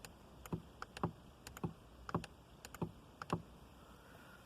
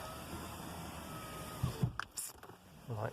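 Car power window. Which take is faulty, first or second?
first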